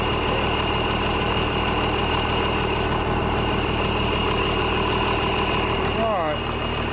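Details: International DT466 diesel, first start in 8 years; steady, even clatter at idle with no stumbling or misses, sounds healthy.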